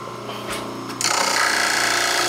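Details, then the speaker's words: Vintage Multimixer after shipping, with a spindle wheel wobbling about 1/4 inch out of flat. The motor runs with a harsh, rattling, uneven buzz, badly out of balance; it was possibly bent in shipping. "hear that sound? Way out of balance, way out of whack."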